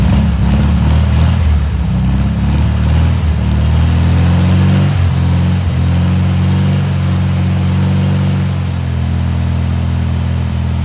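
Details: Abandoned, salt-corroded VW dune buggy (VW chassis and air-cooled VW engine) after cheap rebuild and oil change: strong, steady idle, even beat, slight settling in speed, no misses or knocks; engine okay, front tank leaks at the pipe connection.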